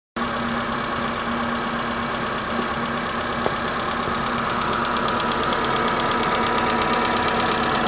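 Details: Renault Megane 2, 2008, K4M engine, idling: steady idle with a sharp regular tick about three per second; unexplained engine knock, heard first on the left then slightly right, then it disappeared; cause not found.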